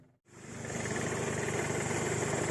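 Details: 2006 VW Golf V GTI petrol engine idling with busy uneven knocking and rattle; knock at bottom right, later found to be the fuel line hitting the chassis from engine imbalance; rattle at pedal lift went away after fixing a broken vacuum pipe, possibly VVT actuators.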